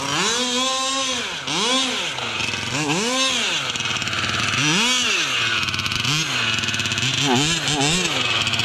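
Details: Losi 5T RC car with 34cc Zenoah gas engine, pump gas: high-pitched engine revs up and falls back unevenly, stumbling and sagging between blips; running poorly, cause unknown; center diff also seen leaking.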